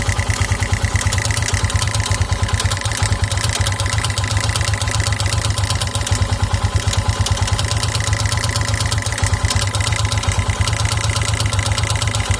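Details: 2009 KTM EXC 450 single at idle, oil level checked: fast regular clack, owner suspects cam chain tensioner, with uneven light ticking mixed in; top-end tick, source unknown, fades when revved, owner thinks not the rod, sometimes stalls engine.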